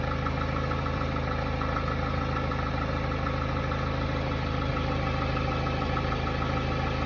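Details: Hyundai Tiburon, Hyundai/Kia 2.0 MPI G4GC 143 hp engine, cold idle: light, fairly regular knock about three per second over a deep steady hum; disappears when the engine is at operating temperature; owner suspects piston slap, not confirmed.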